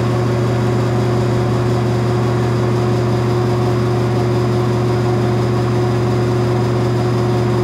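Steady loud hum with a strong low drone and a fixed tone higher up, running even throughout; a noisy fan, cause not clear. Cause suspected, not confirmed.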